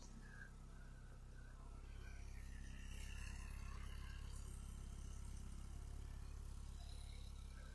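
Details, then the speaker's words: Ford Escort XR3i: quiet, even low rumble with a steady beat and no misses, knocks or ticks; engine idles smoothly and runs beautifully. "wow running beautifully looking beautiful"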